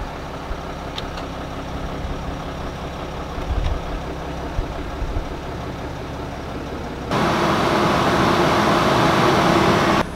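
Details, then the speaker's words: Mercedes NCV Sprinter van idling after replacing the AC blower motor (AC had worked intermittently): fan comes on as smooth steady rush of air, no squeal or rattle; new blower healthy. "all right well everything seems to be working pretty well so far"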